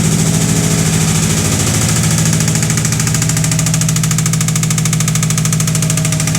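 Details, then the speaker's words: Heavy engine knock on a long-sat 1986 Ford bullnose truck, 302 V8, automatic, 2WD, just started after sitting: hard, steady metallic hammering about two to three beats per second at idle, judged definitely not a rod knock; cause unconfirmed. "that sounded to me very bad foreign definitely not a rod knock that is way more"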